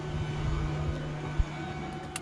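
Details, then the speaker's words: Mercruiser boat spring prep, blower run before starting engine: steady low electric hum holding an even pitch under faint background clatter; blower works good. "Alright, blower works good."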